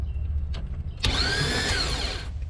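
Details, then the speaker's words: Cranking test after fixing a corroded cable and rewiring the starter relay: a high, rising electric whine spins freely for about a second with no cranking rhythm, meaning the starter turns but doesn't engage the flywheel; cause not yet known. "see, I can hear the transmission spinning, but I don't hear it engaging into the flywheel. So I'm not sure what's up with that yet."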